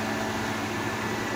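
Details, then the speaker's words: GE Profile air conditioner street find, just powered up after plugging back in: steady whoosh of fan air with no compressor hum; fans run but compressor not running. "I don't hear the compressor though."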